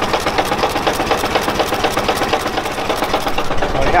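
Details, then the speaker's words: Engine with rod knock at an uneven, lumpy idle of about two beats a second with a hard hammering pulse. Cancelling spark suggests cylinder number two is not firing; the oil pan is to be pulled to check the rods. "yeah it's firing on all four oh look at the smoke yeah that one was definitely not firing"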